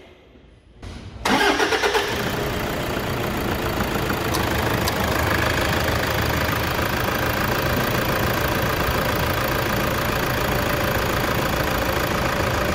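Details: Toyota Hilux 3.0 diesel at 92,534 km, post-purchase 90,000 km service: starter whirrs briefly, engine catches and settles into a steady, even idle with light clatter; runs normally.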